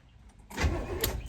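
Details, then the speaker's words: 1971 Chevelle Malibu small-block V8 with new battery, first crank after sitting 20+ years: starter grabs and spins the engine briskly and evenly, good cranking speed with no drag or binding. "oh okay so this might be too easy um so it cranks very well actually"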